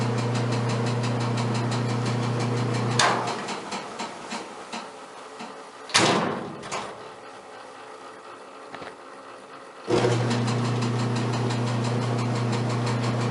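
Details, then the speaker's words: Kenmore dryer after replacing the drum support rollers and support shaft, reassembled and belted: even low hum with a smooth, steady drum turn and a few door clunks; sounds much better, normal operation. "you can proceed to finish it up put the filter back in and drop the top and test it that sounds much better"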